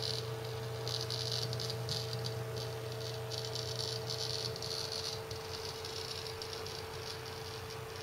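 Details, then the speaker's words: Seagate ST6000DX000 6TB 7200 RPM drive in enclosure during a benchmark, moved front-to-back and side-to-side; steady hum with bursts of fast rattling ticks; loud seeking under vibration, no performance change. "I'm being very gentle with the drive very little change but it does that he goes into this loud seek mode you notice no performance change"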